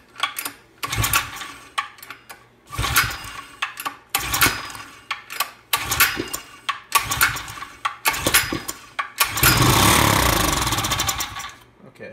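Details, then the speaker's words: Generac gas water pump bought used, run on a plug with gas, running above full throttle so a socket stuffed in the intake to restrict air; rough pull-start bursts, then steady even run, no misfires: normal running. "sounds good to me yeah that sounds really good finally that's that's good enough"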